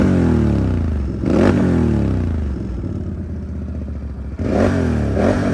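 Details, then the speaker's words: 2019 Can-Am Outlander 1000 ATV, 22,000 miles, stock head pipe with welded exhaust; throaty V-twin revving and settling, strong even bark, slight mechanical clatter behind, not aggressively loud; normal running. "you know for being you know just the stock head pipe and welded on it's not aggressively loud um but it definitely does have a good bark"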